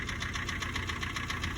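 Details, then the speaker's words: Kia at 327,653 km, knocking since about 150,000 km, at idle: sharp metallic ticks about seven per second; judged a harmless knock, car driven with normal fuel use, about a liter of oil between changes. "И это, друзья, нормальный стук получается. То есть можно ездить, ничего не капиталить."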